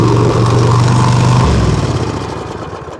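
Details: Zero-turn mower small single-cylinder engine, 96.5 hours, after fixing a no-start after running out of gas (leaking shut-off valve drawing air, starving the carb): runs with an even, steady beat, then shuts off and coasts down smoothly.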